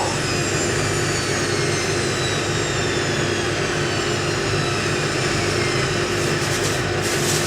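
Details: Indesit IWC71452 washing machine, spin after overshooting to about 1700 rpm, before trying the 1600 setting: steady high whine easing slowly downward with smooth rush, no knocking or rubbing; normal high-speed spin.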